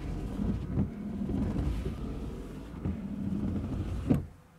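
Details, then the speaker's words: 2013 Scion FR-S, about 191,113 km: low labouring groan rising and falling with each slow wiper sweep on normal speed, gone on high; owner believes the wiper motor is failing rather than the multi-function switch. "then when i put on high that groaning noise goes away that's normal this is too slow this is my normal speed but this is too slow for the normal speed and you see it's laboring it's groaning it's sort of like me when i get out of bed in the morning"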